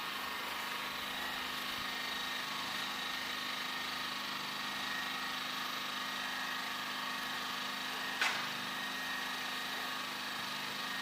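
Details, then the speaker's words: Champion 2000 W inverter generator, new, economy mode on, heard from about 35 feet (under the 50 feet rated for below 50 dB): quiet, even hum with faint steady tone, no surging or hunting; normal running. "you can see, pretty quiet, and we aren't even the 50 feet away that it recommends to get down below 50 decibels."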